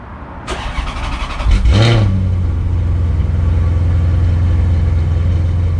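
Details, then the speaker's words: Cheap Maserati cold start next morning after overnight on a battery conditioner, following accessory belt refit: brief crank, steady even idle without knocks or misses, smoother than the day before; oil pressure and voltage good, no warning lights. "She sounds good and that's pretty smooth. I mean, dare I say it, that does feel smoother than yesterday."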